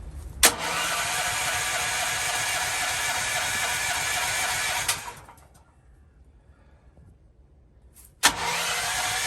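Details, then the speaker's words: Propane generator, first start since the new tank line was run, tested before cold weather: about four seconds of steady fast cranking, a pause, then more cranking with no catch. No gas pressure; the propane tank was empty. "Oh, what happened? I have no pressure here."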